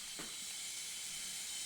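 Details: Husqvarna FS450 motorcycle that died suddenly on the track, leak-down test at 90 psi: steady constant rush of air escaping, moderate leakage, nothing past rings or out the airbox; leaking exhaust valve.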